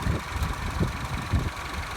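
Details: Citroen C4 at a low, even idle with a soft steady pulse and no knocking or misfire, after a no-start was cured by resetting the tripped circuit breaker above the battery; idling normally.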